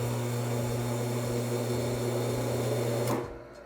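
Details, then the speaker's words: Laguna C-Flux 3 dust collector motor on start-up: a steady low hum that never rises to full speed, then cuts off after about three seconds as the overload switch trips. Motor fails to reach speed; capacitors are checked next. "When I do turn it on, it does start to spin, but then it trips the overload switch."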